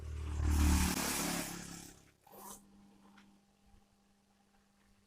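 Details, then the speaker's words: Twin-tub washing machine spin dryer, spinning slowly and leaving clothes wet. The motor gives a steady low electrical hum but will not turn unless the basket is pushed by hand, and there is no brake. "oke terdengar suara dengung ya dengung tapi dia ndak mau muutter kalau didorong kayak gini baru mau muter"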